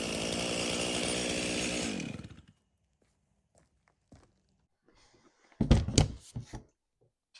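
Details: Stihl chainsaw (customer's MS 391 or MS170), dropped off because it would not start; its fuel had some dirt in it, then started outside at night. Holds a crisp, even rev, then winds down smoothly when switched off; it starts and runs.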